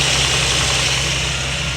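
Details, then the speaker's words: Land Rover idling with AC on, radiator fans running on low speed with a steady airy rush, later switching to high speed; fans had not worked, fixed by a wire repair, not the fan module. "right now they're on low speed"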